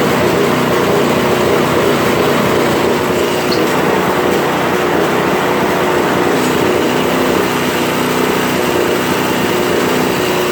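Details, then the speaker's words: Toro Power Clear 721 RC snow thrower after a carb cleaning treatment, started with primer and choke: fairly steady buzzy idle with a couple of faint stumbles. Slight occasional sputter remains but is much improved. "it's not sputtering as much right that's not bad"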